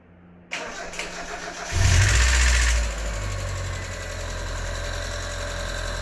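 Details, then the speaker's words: Mazda NA Miata after lifter reinstall: catches after a short crank and idles with a loose metallic clatter from the untightened water pump pulley. "I forgot to tighten the pulley for my water pump and it was rattling all over the place making that awful noise"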